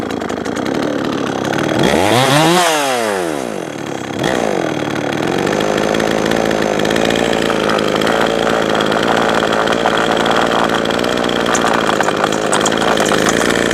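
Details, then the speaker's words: Jonsered 525 chainsaw blips to a high scream, drops back, then runs buzzy and slightly uneven; first suspected clutch, but ignition coil screws had backed out, not stripped; loose ignition coil. "look at this it was not the clutch the coil vibrated loose that is what's going on"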